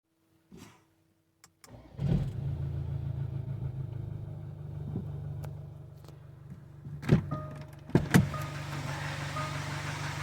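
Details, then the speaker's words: 2016 Jaguar F-Pace 2.0 Ingenium 204DTD diesel after timing chain kit replacement for code P0341-92; catches after short crank into even, steady idle with no rattle, quieter than before; no codes after 300 miles. "Sounds all right. [Applause] Think less quieter than it was before."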